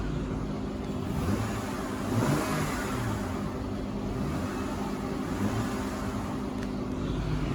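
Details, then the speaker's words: 2004 Acura MDX V6 with 200k miles: quiet, smooth idle hum with one brief swell and no ticking or knocking; engine runs well. "As you can see, it's quiet. Let me turn this air off. It's quiet. The engine is quiet."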